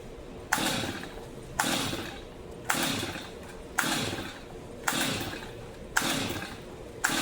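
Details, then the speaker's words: Brand-new, never-used Stihl MS 250 chainsaw: seven pull-cord rips about a second apart, each whirring down with no firing; cranks but won't start despite confirmed spark, dried plug, choke working, fuel present, airbox refitted. "Nothing. Mhm. Well, this one's going to require a little bit more of a a a deeper dive into it."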